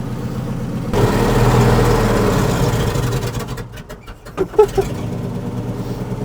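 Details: 1961 C60 Viking fertilizer spreader, sitting about 40 years, cold engine with choke only partly out: lumpy, uneven idle that sags and stumbles, revs dropping with sputters near the end; running poorly, wanting more choke.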